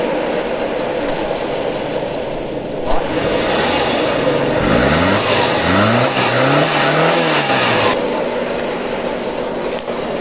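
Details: 2008 Suzuki Alto: uneven, lumpy beat at idle and through revs with a persistent stumble; cylinder one not firing despite checked spark plug; misfire, compression check next.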